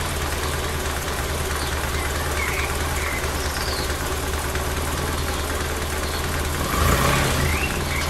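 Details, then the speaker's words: Lotus Elan started cold after 500 miles, during carb airflow and Colortune mixture tuning: steady, even low idle with no stumbling or misfire, settling around 700 rpm, better than the day before; warm-up and timing chain adjustment to follow. "was settling down about 700 so better than yesterday so I'll get it warm"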